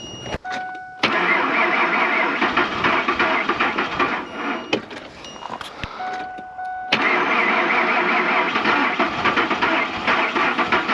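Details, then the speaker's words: Old Ford F-150 at about minus 25 after sitting 4–5 days, with jump pack and block heater plugged in: two short cranking bursts with a pause, then the engine catches at about seven seconds and keeps running; hard cold start. "Finally. Holy shit. There you go. The Coldstart."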